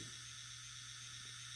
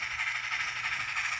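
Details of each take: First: this engine does not have a sound decoder that is the molder making sorted circuit making some kind of weird noise that's not what's supposed to sound like and that can't that really can't be good for the engine any Second: Model locomotive on a layout: steady, even high-pitched motor hum with soft rail whir and no catches or stumbles; running smoothly and nicely.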